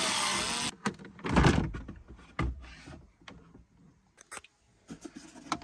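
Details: Skoda Fabia 3 dashboard: brief motor whir, then irregular dull knocks and clicks behind the dash from the fresh-air flap actuator knocking.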